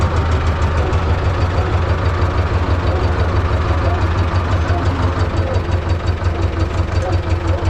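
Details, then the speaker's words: T-16MG self-propelled chassis tractor with D-21 diesel, after clutch centering and adjustment, gear engaged with the clutch pressed. A loud, deep diesel thrum at a steady idle with no rattle or clatter; it runs normally. "see that this rattle was not we turn it on through the lowered we can go normally it works"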